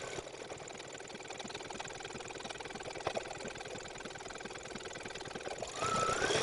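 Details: Baby Lock Flourish 2 embroidery machine stitching on dark denim: steady stitching about four beats a second, each stroke landing with a dull thump into the fabric, meaning the needle is dull; needle changed to a size 80/12.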